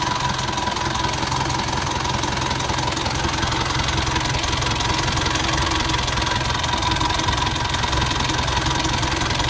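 Uneven, lumpy idle with a loosely regular beat near 160 a minute and no steady settle; the engine is idling rough.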